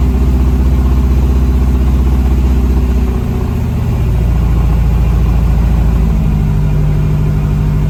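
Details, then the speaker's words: Honda CRX engine after misfire following a money shift, cold start after reassembly: uneven, lumpy idle with revs rising partway; runs rough, leak-down showed no bubbles, but owner now suspects head gasket. "I'm not sure if you guys could hear it, but I could. It don't even sound right. I mean, it should technically do that, but not at a cold start."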